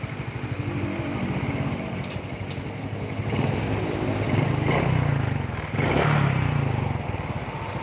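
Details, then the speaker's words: Honda Karisma motorcycle after engine repair: single idles evenly, revs cleanly when blipped and returns to steady idle; normal engine running with adequate power. "kita geber Oke ajak ya berubah dan mesin tetap langsam"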